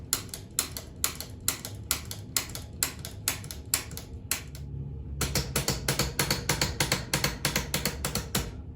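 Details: Specialized Fat Boy fat bike after rerouting the shift cable correctly and zeroing the barrel adjuster: crisp, even clicks at about three per second as the gears step across the cassette; smooth, proper shifting.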